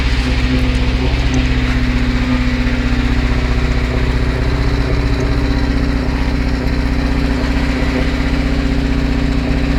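Steady idle with a sharp regular knock, about four per second, riding over the engine note; a clear internal engine knock.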